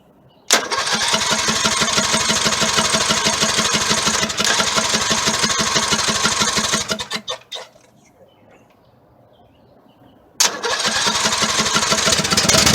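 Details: Poulan 19 hp tractor engine from a scrap pile, jump-started at the starter: catches quickly, settles into a fast, even beat, cuts out, then restarts cleanly; starts and runs normally.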